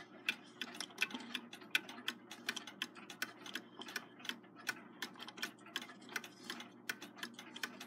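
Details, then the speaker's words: Seth Thomas long alarm clock with the 89 movement, ticking about 82 per minute with slightly uneven tick-tock spacing; sounds a little out of beat on the desk. Owner suspects the surface isn't level, as it runs in beat on the nightstand. "it runs in beat on my nightstand it sounds like it might be a little bit about a meet sitting here on the desk I don't think it's quite level here"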